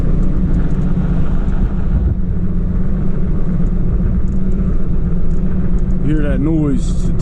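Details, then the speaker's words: 2003 Chevy Trailblazer (had rough idle and stalling, throttle body cleaned with acetone) driving: steady low hum and rumble rising evenly with road speed from big aggressive tire tread, no tick or knock; engine and transmission feel good. "tires we got some pretty big tread on that feels good engine feels good transmission feels good"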